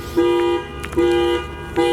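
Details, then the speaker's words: Nissan S14 drift car on the drive home, smoke from the dash: horn sounds in repeated blasts about every 0.8 s with nobody pressing it; wiring harness under the dash rubbed through with exposed wires, shorting. "no, yeah, it's got to be in here, like where the harness is. Yeah. You rub through the harness."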